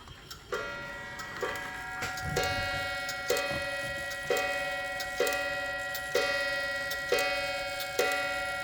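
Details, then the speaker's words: Waterbury clock after back cover screws tightened and hammer and gong adjusted: clear ringing strikes about one per second, evenly spaced and cleanly sustained; chime now striking properly on the hour and half hour. "And here's the Here's the hammer and the gong. There. That sounds better."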